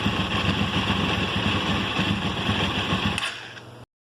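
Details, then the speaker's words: 2005 Honda CBR1000RR idling after new spark plugs: ragged uneven idle with irregular stumbles and gaps, then the engine dies; persistent misfire. Water was in the fuel tank; clogged fuel injectors suspected, not confirmed. "so as you can see we still have a misfire and uh the bike is wanting to idle on its own it's just um [Music] once it uh you can hear where it's misfiring and stuff sounds terrible but we are going in the right direction"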